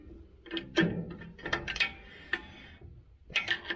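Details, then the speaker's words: 2012 Ford F350 rear drum brake during back plate replacement for rear brake noise: scattered sharp metallic clicks, a few per second, as brake tool turns star wheel adjuster; spring snapping over teeth normally while freewheeling. "you'll hear it click on that spring so right now we're freewheeling here it click"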